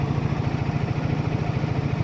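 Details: 2014 Silverado idling with AC load during final refrigerant charging after discharge hose replacement: steady, even idle with a quick regular low pulse, no misses, knocks or hunting; healthy.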